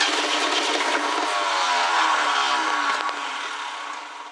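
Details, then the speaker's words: 1969 Ford Club Wagon van being revived: cranking on starting fluid gives a few ragged catches that fade, so the engine fires briefly but won't keep running. "grab this starting fluid I'm just going to see if it pops once I don't really expect it to running I just want to see where it's at"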